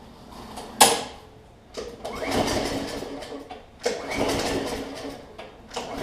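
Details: New Murray push mower, Briggs 300-550e series OHV engine, after head gasket replacement, no intake or exhaust fitted: several easy even recoil pulls with no gushing back pressure from intake; normal cranking, issue resolved.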